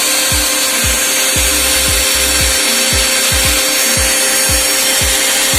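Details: Mixer grinder after repair (burning smell and flapping noise before; wires rejoined): steady high-pitched whirr at even, very fast speed, no flapping or scraping; motor running normally.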